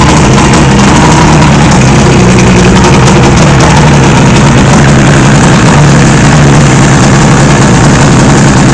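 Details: 1976 Johnson 85 outboard without choke solenoid: loud deep idle with uneven lumpy beat; owner unsure whether it is idling rough.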